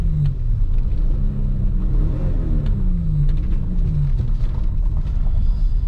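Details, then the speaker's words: Lexus ES300 misfiring, revved in neutral after a short drive: engine note rises and falls but breaks up unevenly, stumbling instead of pulling cleanly; misfire, cause not yet found. "I just want to take this drive this a little bit more see if it clears up at all yeah even when you rev it neutral it kind of can hear it"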